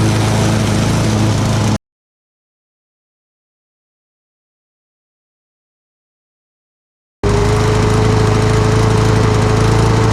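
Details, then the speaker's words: Lawn mower single-cylinder with carburetor swapped from another mower, governor spring suspected out of adjustment: steady low drone holding one flat speed, never climbing; runs but won't reach full revs, cause unconfirmed. "all right it's running but it's not really it doesn't really have full power"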